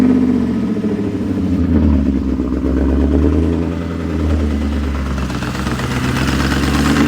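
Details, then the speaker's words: BMW E39 540i V8 revving after reinstalling missing EGR/secondary air pipe, broken secondary air hose: clattery, uneven edge over the exhaust note; exhaust leak at the pipe fixed by hammering the pipe in, remaining noise owner attributes to loud heads. "exhaust noise is gone now it's just loud heads which I mean what are you going to do right"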